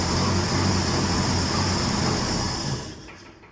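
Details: 1966 Ford F100 after swap to a known-good 300 inline six (old engine knocked): steady low note with even beat, no knock or tick, then fading out; running smoothly.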